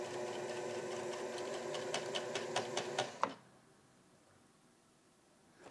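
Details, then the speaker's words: Sewing machine in reverse after bobbin and thread swapped: clattering around 140 stitches a minute with uneven jerky knocking, feels jagged, then stops; rough uneven running, cause unclear. "Let me swap out the thread. Maybe that will make a difference. Yeah, that sound does not sound right."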